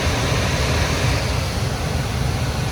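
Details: Home furnace after clearing spray-foam blockage in vent that caused pressure switch 3-blink no-ignition fault: steady low burner roar, even air rush, no flutter or cutting out; firing normally.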